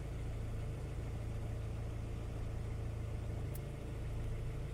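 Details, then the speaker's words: Nissan pickup 2.4 12-valve petrol engine after a full timing kit replacement (chain, guides, hydraulic tensioner, cam and crank gears) and a new oil seal: starts first try and idles smooth and even, with only the A/C compressor bearing audible. "la revoluciones bien estables el motor se escucha bien en parejito no no se escucha ningún ruido así anormal"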